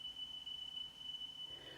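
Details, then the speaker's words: Sony La Scala TC-S1 cassette deck playing a 3 kHz speed test tone: high steady tone with quick pitch wavering; belts look fine, owner suspects dirty pinch rollers; tape flutter. "now if it's lower than that then you need to adjust the speed up and if it's higher than that you adjust the speed down but what we get is a fluttering if you listen again"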